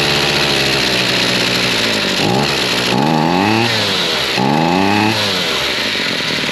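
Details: Chainsaw started after choking out with choke half off; bright two-stroke buzz blipped a couple of times, rising and falling cleanly back to a steady idle, a good idle.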